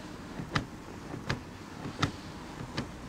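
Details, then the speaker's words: BMW 3 Series about a month after delivery: four sharp clicks about 0.75 s apart in a quiet cabin as someone sits down, from the cushion-to-backrest joint of the driver and passenger seats; the click stops with the seat raised. "他反映，提车大概一个月后，发现每次坐上主副驾驶座椅都会发出响动，坐下去那一刹那，坐垫和靠垫之间会咔嗒咔嗒的响，主副驾驶座椅都有这个声音，就是座椅和坐垫这个连接处嘛。"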